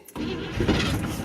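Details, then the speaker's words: 1974 Chevrolet 3/4-ton pickup, sat for years with tank gas from 2012: short cranking burst with one rough cough that never catches; owner suspects ignition timing and goes to adjust it. "Oh, cough. Whew. Let's adjust that timing."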